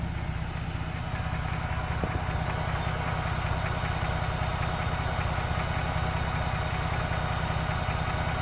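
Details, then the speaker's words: Ford Bronco 2.7 engine at idle: steady, even idle with a faint constant whir on top, originating from the transmission, considered perfectly normal. "if you guys can kind of hear that that's a the whirling noise I'm talking about and that's originating originating from the transmission perfectly normal"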